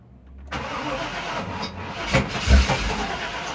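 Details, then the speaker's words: 2000 Chevy Tahoe LT 5.7L crank-no-start: starter cranks with an uneven, lumpy compression rhythm and never catches, because the distributor is out of time from shaved gears. "kind of want to start but the cranking uh compressions as you saw there they were uneven at moments and that's two and that's pretty much uh due to the fact that the distributor is not in time"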